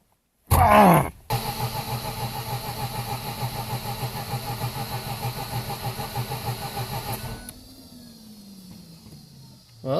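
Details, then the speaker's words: 2004 Mazda RX-8 that won't start and is suspected flooded: the starter cranks steadily for about six seconds without catching, then the air pump whirs in the background; crank, no start. "it cranks um you may also hear another noise in the background that's the air pump"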